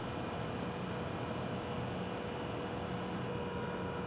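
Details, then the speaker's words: Pump on a BG PF5-HO power flush and transmission fluid exchange machine running during the service at around a gallon per minute flow: steady, even electric whine over a constant hum, no surging or rattles; normal pump operation. "one thing you're going to notice is we can hear the pump running on the on the machine you will not know obviously the standard machine doesn't have a pump so you won't hear the whining the whining noise of the pump"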